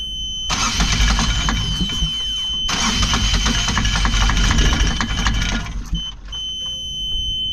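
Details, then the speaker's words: Yanmar diesel on a sailing catamaran, after billowing smoke and a hard start: labored, uneven cranking with rough coughing bursts. Owner suspects an injector clogged with gunk from the previous owner's low-rpm running. "When we eventually got it going after the smoke to act mad, it ran, but only ran on two cylinders. Definitely think one of the injectors is either blocked with gunk."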